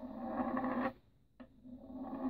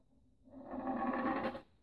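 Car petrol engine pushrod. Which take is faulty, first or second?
second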